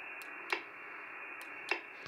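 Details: Xiegu X6100 heard on another receiver: a sharp single tick through the receiver hiss each time it unkeys, about a second apart. Happens on any band and at any distance; the owner suspects a firmware unkey timing fault.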